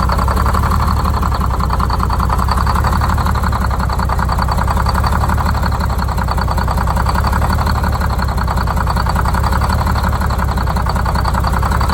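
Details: Detroit Diesel 6-71 two-stroke, first start after new 4-valve head and Davco 382 fuel filter install, valve cover off so not revved: dense, even rumble holding steady idle, no stumbles or knocks; idle set via buffer screw; normal idle.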